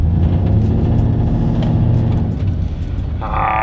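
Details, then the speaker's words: Toyota Sequoia tow rig, 2UZ V8, new fabricated exhaust with catalytic converters removed, after 10 minutes idling with no check engine light: deep loud idle with coarse raspy edge and burbling pulses; loud raspy exhaust, sounds like straight pipes. "exhaust sounds sounds loud sounds raspy but i think it'll be perfect maybe we'll see"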